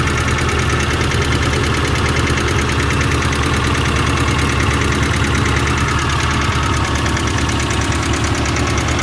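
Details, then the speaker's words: 1990 Ford Festiva that sat a long time, with a new fuel pump, engine flush, cleaned cam oil passages, new lash adjusters and rod bearings, and plenty of power: fast, light top-end tick over a steady idle, louder with the oil cap off. Cause unknown. "so definitely sounds like a top end tick to me and it does seem to get louder with the oil cap off to me it sounds like it's right in there"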